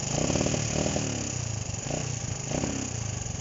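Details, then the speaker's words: Honda CB125 RS running, after a fuel-bottle feed problem was found: it putters unevenly and the revs swell then sag, bogging under throttle; owner suspects the main jet is the wrong size. "it will drive but when i try to give it the throttle it just wants to bog out the whole time"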